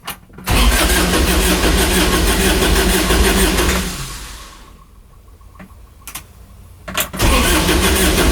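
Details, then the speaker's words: Kubota RTV900 diesel UTV (2007 or 2009) that blew white smoke, first start attempt after a head gasket repair, 12 volts confirmed: starter turns it over steadily, about three beats a second, but it never catches. Crank, no start. "Wants to go. Nothing. Hm. Doesn't want to go. We're getting fuel to it."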